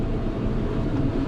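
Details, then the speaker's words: Samsung dryer after repair, previously buzzing with drum not turning because a t-shirt was stuck in the blower wheel: steady, even low rumble with no buzzing or scraping; drum turns freely and runs normally. "plug it back in turn it on and verify the drum is now in fact turning"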